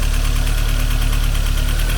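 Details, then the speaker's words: Mercedes 190E 2.3 16v Cosworth Evo with FuelTech: rough, lumpy idle with steady fast top-end ticking; one cylinder not firing, owner suspects needing forged piston and rod; timing chain is good. "We are missing a cylinder here. Now the project is more complicated."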